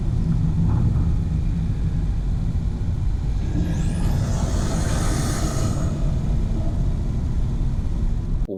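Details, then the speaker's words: 2025 Mercedes C200 turbo engine while driving, mixed mics near the intake box and in the engine bay: deep roar builds under throttle as a high whistle sweeps quickly up and fades; healthy turbo spooling with little lag. "You're hearing the song from close to the intake box, and then I had another mic further into the engine bay. So you're hearing a mixture of both of them, but it's in there."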